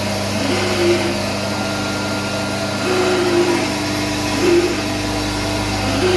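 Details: SCM Minimax S45n woodworking machine running with steady motor hum and a soft surging rub recurring about every second and a half, with power cutouts; cause not clear.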